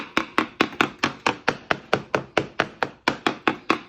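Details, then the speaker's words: Tap test on a Haines Hunter V17L boat transom around the motor mount holes after removing the original Evinrude 120 outboard: quick hard taps turning duller over rotten wooden core, likely from water ingress through mount holes and trim screws. "When I pulled the original Evinrude 120 off the back, however, I found inside these motor mount holes there was some rotten transom wood. And you can probably hear from this, you have a listen to this tap test."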